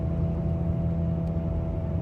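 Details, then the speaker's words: Chevy Malibu while driving: steady low front-end hum and whir under road rumble, continuing off-throttle and at idle, stopping when braking to a stop, quieter when turning right; owner suspects a wheel bearing, not confirmed. "okay so what's happening is when i'm accelerating there's this noise as you can hear um not exactly sure what it is i'm trying to figure out if it's a wheel bearing because the videos i've heard it sounds like it's a wheel bearing"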